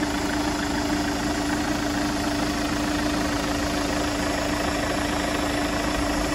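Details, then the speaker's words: Chevrolet Captiva diesel AWD after replacing the noisy idler pulley and tensioner: steady, even idle with a smooth drone and no chirp, squeal or rattle from the belt drive. Normal idle. "Nah sekarang bunyinya sudah halus Oh jasa pemasangan pulinnya 250 juga jadi 750 ya Jadi sekarang bunyinya sudah halus seperti [Musik]"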